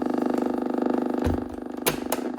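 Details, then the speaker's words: Blaupunkt HCX-150 cassette radio alarm clock, South African 240V/50Hz unit run from 120V via a step-up converter after restoration: steady fluttering buzz/hum under tape playback, radio fine; cause unknown, possibly a wire overlapping something after reassembly. "Now there is a little bit of a noise on the tape. I'm not sure what that's from. You can hear it. There's You hear that? There's something buzzing there."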